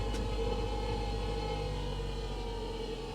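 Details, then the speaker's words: Salvage-auction small hybrid car: quiet, uneven gasoline-engine drone with a lumpy, irregular pulse under a faint hum; the engine runs rough. "that doesn't sound healthy at all does it oh that sounds pretty rough"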